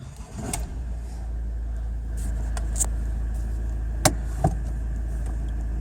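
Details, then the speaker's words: Ford 6DCT450 Powershift dual-clutch gearbox on a test drive after the valve body was reinstalled and the solenoids flushed (codes P0796, P0766), refilled, MAF unplugged, engine light on: engine note builds steadily with no clunks or flare. Shifting smoothly. "Look at that. So far looking promising. Shifting like a beauty."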